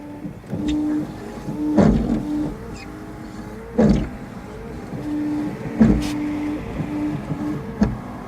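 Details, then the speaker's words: Car rear wiper squeaks in drawn-out tones as it sweeps, thump at each turnaround about every two seconds; rear worse than front wipers. "so the wipers are making noise as you can hear the back one the back one is actually the back one is actually worse"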